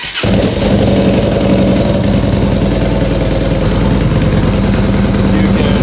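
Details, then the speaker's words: Yamaha Bolt 950 V-twin just after installing new-version ForceWinder intake: starter catches at once, settling into loud, even, loping idle with steady beat; healthy. "All right, now that we've got everything tightened up, we'll go ahead and kind of start this bike and see what it sounds like with that new intake."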